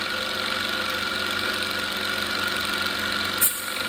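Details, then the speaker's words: Small air compressor revived after dead-battery issues, with its hose plugged to build pressure: steady even hum with constant mid-pitched whine, no knocks, pressure building quickly; normal compressor running. "yeah you hear that this building up pressure pretty fast too"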